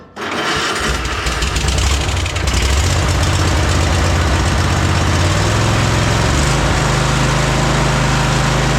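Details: Cub Cadet Super LT 1550 tractor, after long carburetor troubleshooting and finally finding a low-fuel-delivery issue, cranks, catches within a second and settles into a steady, even twin-cylinder run with no stumbling: running properly.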